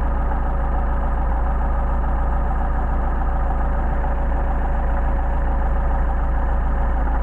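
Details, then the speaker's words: Mercedes 190SL engine, warm, with rebuilt Solex carburetors just adjusted: deep, even idle holding steady with no misses or hunting; the idle speed seemed to rise after the adjustment. "now I think our idle is increased because we got those properly adjusted"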